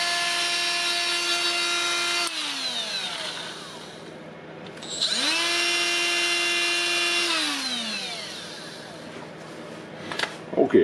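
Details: Milwaukee M12FDGA angled die grinder after switch teardown and repair, tested at four speeds: two clean spin-ups to a steady high whine and smooth coast-downs, no grinding or stutter; motor and switch work normally.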